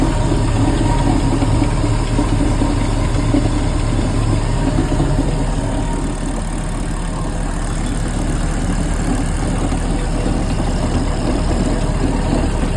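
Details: 350 MAG MPI engine: rough, uneven idle with a gravelly grinding texture under the exhaust pulses; something rotating is grinding, and the cause is still being diagnosed.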